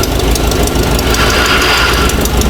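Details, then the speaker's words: Abandoned 1960 Nash Metropolitan, first run after rewiring, loose belt: loud idle with an irregular metallic rattle from the belt drive; shafted water pump and generator out of adjustment suspected, cause unconfirmed; engine bay rattle. "well this might have something to do with a rattle water pump that's totally totally shafted and the generator is clear out of adjustment"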